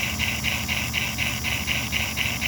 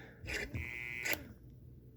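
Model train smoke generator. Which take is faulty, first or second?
first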